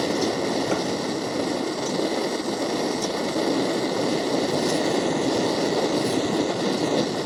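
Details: MSR Dragonfly liquid-fuel stove, owned a few years, flaring up during priming: loud, steady rushing roar with no rhythm. First time this happened; cause uncertain, owner wonders if he used too much fuel and thinks it needs a service.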